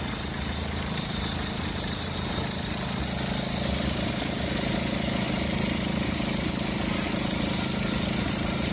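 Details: Engine at idle with a thin, steady high-pitched squeal, likely the fan belt. Suggested checks: a loose or cut belt, household powder on the belt, or else the alternator pulley or adjuster bearing. Cause not confirmed.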